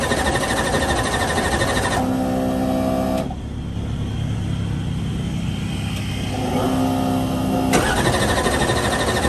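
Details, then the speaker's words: Gasoline nitrous race car after broken rocker repair, refuelled after running empty: loud, crisp, steady engine note with even firing; normal running. "it sounds like she's running i keep looking at that fuel cell forgetting it's a gas car"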